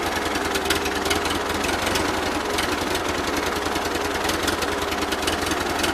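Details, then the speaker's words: 1941 Ford 9N tractor with a low, uneven, stumbling idle and irregular pops. It runs on all four under load. Owner plans a spark tester check; cause unknown. "always sounds like the cylinders are just polluting there's something I don't quite know how to explain it"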